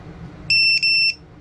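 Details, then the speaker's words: ViFly Finder Mini lost-model buzzer, now in its second stage (from 0.5 hours, max volume every 10 seconds): two loud, shrill beeps back to back, about half a second each, over faint room noise; lost-model buzzer beeping. "so that's now into the second stage into this stage here we went from this stage to this stage now from 0.5 hours which it will get max volume every 10 seconds so you can just imagine how loud that is"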